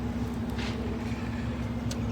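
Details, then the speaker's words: 2024 Lincoln Corsair towed in with no crank, no start: smooth, steady, even engine hum with no misfire or knock, running normally. It started after loosening battery terminals that had a coating applied on the posts. "This car starts now. As you can see, the car starts."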